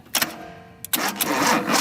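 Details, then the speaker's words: 1976 Datsun 280Z fuel-injected, starter previously not working, freed by tapping with brass hammer: a click, then brisk steady cranking as the engine turns over; normal starter cranking, possibly a flaky switch before. "There we go, and it works now. It was actually turning the engine over."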